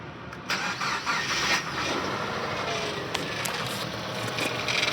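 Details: 2009 or 2010 Subaru Impreza 2.5L flat-four after oil starvation, with fresh oil and filter and full dipstick: it cranks, catches and runs rough into idle with a harsh, clattery multiple rod knock.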